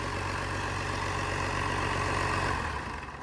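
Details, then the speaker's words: 1993 Dodge W250 with an intercooled Cummins diesel, reportedly 120,000 miles, running with no exhaust fitted: an open, loud clatter with a steady even beat of about four pulses a second. It runs smoothly and is simply unmuffled. "Bye. Go. No exhaust. Cool."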